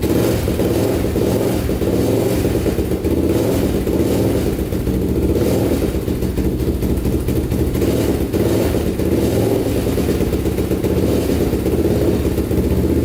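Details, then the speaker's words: 1999 Honda 400EX carbureted single, cold at about −16 degrees, on choke with a new battery, as the pre-turbo baseline: an even, steady thump with no knocks or rattles. It runs cleanly while warming up. "running with the choke on for a bit here running pretty good let this thing warm up and then we'll uh start digging into it but this is the baseline for how it sounds and how it runs"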